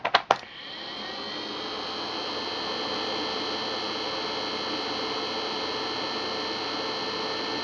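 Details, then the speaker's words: Two HP ESP135 DPS-600PB server PSUs after fan mod (pin 4 grounded to pin 8): clicks at switch-on, then a steady soft whoosh with faint high whir, much quieter; normal fans running at minimum speed. "you can hear they're a lot quieter you don't have to shout to hear yourself over them just important"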